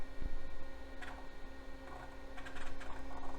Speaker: yeah the hard drive works awesome